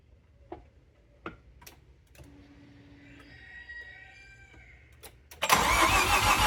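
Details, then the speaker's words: Mazda FD RX-7 rotary with a large hole in the exhaust where a previous owner had stuffed an O2 sensor; quiet ticks then a loud, harsh, raspy roar far too noisy for a cold start, from the exhaust leak. "All right, so I don't know if you guys could hear that over the chickens going crazy in the background, but we have got a massive hole, like literal hole. Like it's a straight up hole."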